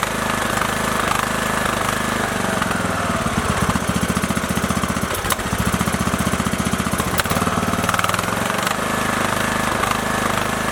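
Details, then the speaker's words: Briggs & Stratton 19.5 OHV single-cylinder on Craftsman LT2000 after replacing push rods, guide plate and rocker cover gasket, spark plug reinstalled: fires up to a steady even putter, no misses or valve clatter; normal idle. "Beautiful. There we are, 2 days later, about $30 in parts, and we're back up and running."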